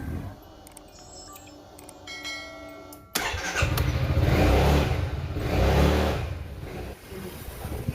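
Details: Yamaha NVX/Aerox scooter engine starts and runs with a coarse, uneven clatter. The tensioner was replaced but the noise remained; the cause was found to be a broken camshaft bearing.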